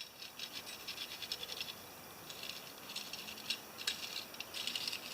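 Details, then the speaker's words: MTD 16HP yard tractor with opposed twin-cylinder engine, spindle/wheel hub turned by hand with engine off: dry, irregular light rattle from looseness inside the hub; owner suspects a bearing on each side, before spindle repair. "You can just hear that. I bet you there's a bearing on each side of that."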